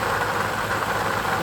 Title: 2020 Toyota Sienna rattle/growling noise from the front of the engine. Water pump bearing worn.